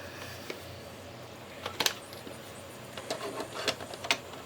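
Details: Magnavox DV200MW8 VCR/DVD combo after fixing a no-eject fault: light whirring with a few clicks and clunks as the tape loads, plays, stops and ejects, smooth with no grinding; transport working properly.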